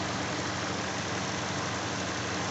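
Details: Hyundai i40 2.0 G4NA, 41,000 km, after engine rebuild (block bored, oversize 0.50 pistons) for cylinder scoring knock, warm idle with radiator fan running: smooth, even, only faint fast injector ticking, no knock.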